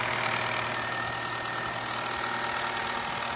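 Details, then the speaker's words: Cheap old petrol project car at startup: lumpy, uneven idle that stumbles and shakes about three beats a second; misfiring badly, cause not confirmed. "now that sounds nasty"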